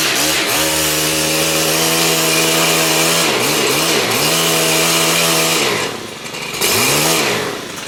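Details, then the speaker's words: STIHL KM130R split-shaft four-stroke combi engine: crisp high-revving buzz holds steady, dips briefly on the throttle and returns cleanly; normal healthy running. "And let's fire this puppy up here, and I'll take you in and show you my attachments I got for it. Pretty much the same as that last one, but just a few more balls in her."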